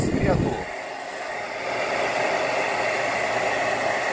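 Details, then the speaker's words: GAMA hair dryer that had stopped working, test run after repair with temperature settings 1, 2, 3 and cool all working; a steady airy rush over a soft, even fan hum with no rattle or catch, running normally. "0121 temperatura 1 2 e 3 resfriador tudo funcionando então vamos ligar na energia para fazermos o teste novamente"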